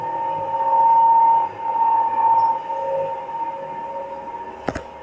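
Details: 1976 Samarkand-built lift, 320 kg, 0.71 m/s, AS-2-62 6/18 motor repaired 4 Nov 2019 and quieter at first: three weeks on, a steady loud high whine with a sharp clack near the end. Motor grew loud again.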